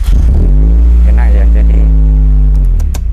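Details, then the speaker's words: Fuel-injected engine after fuse upgrade (IG fuse 50A to be replaced with 80A, following a 7.5A fuse): starter whirs briefly, engine catches within half a second and settles into steady, even idle; clean start, owner still not fully convinced. "Coba kita Nyalakan lagi kita start enak masih kurang yakin masih kurang yakin kita coba Nyalakan lagi"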